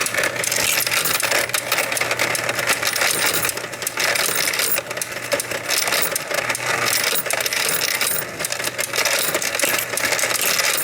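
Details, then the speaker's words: Royal Sovereign FS-44P coin sorter/counter running a whole jar of mixed change; continuous coin jingle with busy light clicking, which is the normal anti-jam mechanism, always heard while running. "And there is a clicking sound that you'll hear while the machine runs. That's normal. That's the anti-jam mechanism. You'll always hear that clicking sound."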